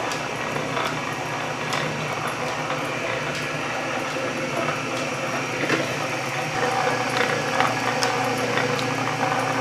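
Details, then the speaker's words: Refurbished Canedy-Otto drill press with power feed engaged: even mechanical whir from the straight-cut gears, light regular ticking about two per second, no heavy clanks; gear train runs normally. "listen to it so nice even those straight putt gears aren't too loud and clanky you got all sorts of whirligigs and doodads spin them a thing around"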